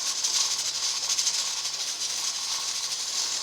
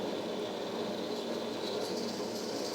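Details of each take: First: Presto 23-quart pressure canner converted from dial to a 15 psi weighted regulator, with the dial reading about 14 psi. A loud steady steam hiss and a fast, busy weight rattle mean the regulator is jiggling too hard, so the heat needs turning down. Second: Presto 23-quart pressure canner converted to a weighted gauge, with the 5-lb regulator on and the dial reading about 6: a steady steam hiss with a fast, even rattle from the weight, a normal jiggle showing it holds pressure.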